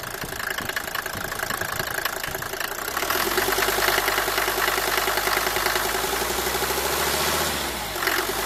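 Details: Cold-engine noise on a Mercedes W124 250T diesel at 245,000 km, after cylinder head gasket and valve stem seal replacement: engine catches and idles with a hard, fast clatter throughout; source unclear, owner asks what it could be.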